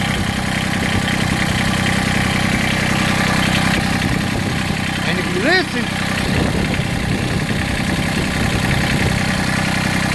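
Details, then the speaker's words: Massey Ferguson GC1710 sub-compact tractor diesel idling with an uneven, lumpy beat and shaky undertone, tremendous vibration rocking the seat, power roughly halved; owner suspects one cylinder misfiring or not firing, not confirmed. "but it's bouncing tremendously everything is just everything's shaking tremendous you can't really see on the camera the movement I mean even my seats rocking see it right there I mean it's just everything's shaking tremendous amount of vibration"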